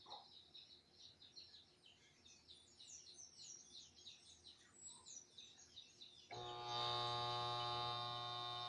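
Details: Refrigerator that will not start: quiet, then a sudden steady electrical hum that holds without the compressor motor spinning up; shorted coil or worn motor bushing, fix is replacing the compressor; compressor hum, fails to start.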